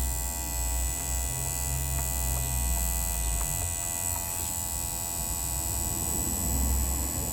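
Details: 2009 Volvo V50 1.6 with a steady low electrical-sounding buzz and faint ticking above it; source of the buzz not pinned down, cause not confirmed.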